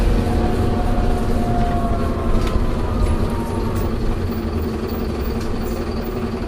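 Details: Optare Solo bus V263DRC coasting down: low diesel drone plus a faint wavering whine that falls away as it slows; odd gearbox noise on deceleration.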